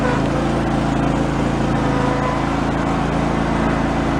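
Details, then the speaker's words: Yard-sale John Deere mower engine after fitting a new fuel pump to cure flooding: steady, even, quick firing beat with no stumbling, no issue since reassembly; normal running. "the system seems to be working fine and has not had an issue since I put it back together"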